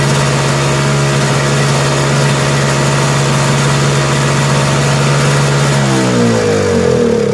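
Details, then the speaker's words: Lawn-Boy Insight single-stage snow blower, complaint of surging rpm: steady idle off choke, then speed wanders up and down near the end, a mild surge; owner's fuel quality suspected, carburetor not yet checked. "so it seems to start a little bit hard maybe at first here but once it's running and off choke the rpms they bounce a little bit but nothing too wild makes me wonder about the fuel quality and the type of fuel that the owner is using in the machine"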